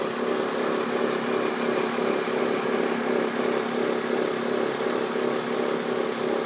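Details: BMW E46 323Ci at idle, also showing white smoke: the engine runs steadily with a busy, raspy mid-pitched chatter throughout, an abnormal idle noise whose source is unclear.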